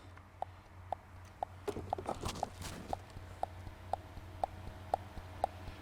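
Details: 2011 Vauxhall/Opel Insignia with overboost, codes P0234/P0299: boost control solenoid driven by a tester, microphone next to it; crisp, even clicks about twice a second with handling noise; solenoid cycling properly.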